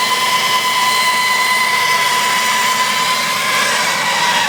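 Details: Jeep Grand Cherokee WJ Overland at idle: steady piercing screech at constant pitch over a thin idle hum; source unconfirmed.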